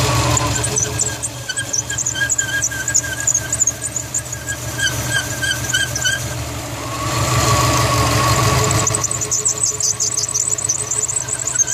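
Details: 2004 Subaru WRX STi with accessory belts under a year old: sharp repeating chirp-squeal about three a second over the running engine, suspected slipping belt near the power steering pump; steering wheel also stutters on sharp low-speed turns.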